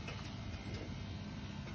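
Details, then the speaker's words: Dunkirk steam boiler converted to single-zone hydronic heat feeding a fan coil, no heat in house: steady even low buzz with no clicks from the aquastat relay on the boiler control; circulator running. "Here's the relay. The Aquastat relay. Aquastat relay is making that noise."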